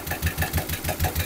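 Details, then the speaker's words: Suzuki Futura engine damaged by fake oil, sludged oil, revved slightly: sharp regular ticking about six or seven per second from top end; valve train noise suspected, not confirmed. "Coba digas dikit lah, dikit aja. Terus, nah, bunyinya ada agak bunyi kasar bagian atas ya."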